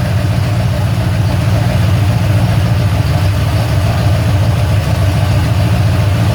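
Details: Ford Falcon XC GXL's restored 351 V8, warm with thermostat open, while idle is adjusted: a deep, even, steady burble sitting a touch high with no misses or knocks. Normal warm idle.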